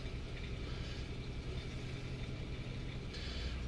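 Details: 1999 Ford Taurus 3.0 OHV V6, just after being jump-started with a Noco GB30 from an old, fully discharged battery (9.90 V): a low, even rumble holding a steady idle with no misses, knocks or squeals. Normal idle.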